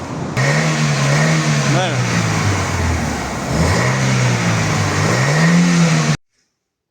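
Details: Chevrolet Nexia 2 with handmade quiet exhaust muffler installed: clean revs rising and falling smoothly, soft low exhaust note without rasp or drone; normal, healthy exhaust.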